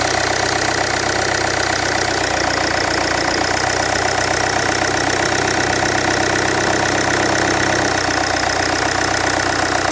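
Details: Land Rover Freelander 2 at idle: loud, harsh running with a rough, busy clatter over the engine and no clear single knock. Something is noisy, but the source is not identified.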